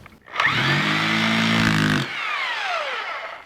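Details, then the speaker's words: Corded two-speed hammer drill for concrete and masonry with carbide bit, 3-prong plug missing its ground, on a GFCI outlet, hammer mode: hard buzzing roar with fast hammering rattle spins up, runs steady, winds down smoothly; normal hammer drill operation. "Of course, you need a carbide bit, and it's designed for drilling holes in concrete and masonry. It's a good drill."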